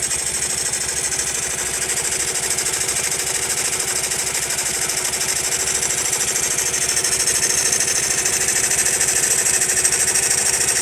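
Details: Honda Monkey small single-cylinder engine idling: fast, even metallic clatter over the exhaust beat that remains after a tappet adjustment. The source is still unknown.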